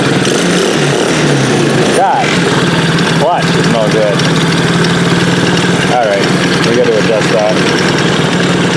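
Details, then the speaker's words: Chinese 50cc Honda-clone kids' ATV just after valve adjustment (set with the 3 feeler gauge): fired up much nicer, steady even idle with no stumbling or misfire, healthy and settled. "wow that fired up a lot nicer oh that's way better than it was it's running way nicer"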